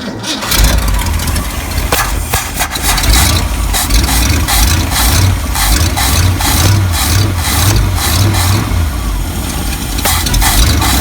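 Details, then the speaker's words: 1974 Ford F-350 crushed by a tree and left sitting, started by shorting the starter circuit under the hood: brief cranking catches quickly into strong, even V8 rumble; runs and sounds good despite a leaking accelerator pump. "I can't believe it still runs still sounds good"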